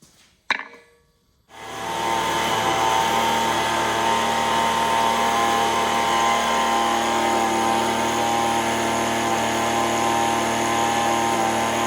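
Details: Echo ES-210 leaf blower, about 20 years old, at wide open throttle after repair for RPM surging; tachometer shows 7,100 rpm against a recommended 7,000–9,000. High, steady buzz with no surging or hunting: normal full-throttle run.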